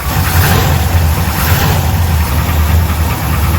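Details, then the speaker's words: V8 hot rod at idle, oil pressure almost 60 psi, slight oil dribbling. Steady idle with a faint, even rattle underneath, low in the block. Bottom-end rattle, cause unknown. "You got something going on down below. That noise is not bad for me."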